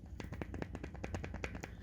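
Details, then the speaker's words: Bicycle rear wheel hub bearing, cone adjusted slightly too loose: sharp light clicks as the axle is rocked side to side, a very small amount of play; wheel rotates smoothly but the cone needs tightening a little more. "can hear there's a very small amount of play in there so essentially i've loosened it off just a little bit too far"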